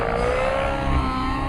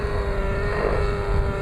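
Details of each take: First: Nitro RC helicopter engine after leaning high-end needle 2 clicks, coming off pitch: high clean note climbs quickly back to speed with no bogging; clean quick recovery, healthy tune. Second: Nitro RC helicopter engine under pitch load: steady, soft, lazy drone sagging with no power yet sounding healthy, heavy smoke, quick recovery off pitch; needle set far too rich.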